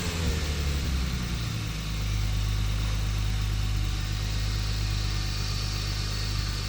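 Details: BMW E30 with turbocharged S52 inline-six, freshly finished with modified turbo manifold and relocated wastegate, revved: deep, even drone settling after a couple of seconds, no knocks or rattles; healthy running.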